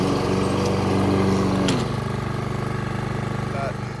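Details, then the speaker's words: Toro Super Recycler SR4 mower after tightening a loose blade-clutch bolt and adjusting the cable, cutting high grass: steady drone dipping in pitch as blades take the grass, then holding even without stalling; running normally. "All right, we'll start it up again and let's see what it sounds like. All right, sounds a lot better."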